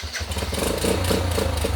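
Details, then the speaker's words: Yamaha Badger Moto 4 YFM80, nearly 40 years old, first start after full rebuild, choke on, primed by cranking first: catches straight away and settles into a quick, steady putter with a little throttle; normal start and idle. "sounds pretty good huh it's turning on press the button cross your fingers man first start"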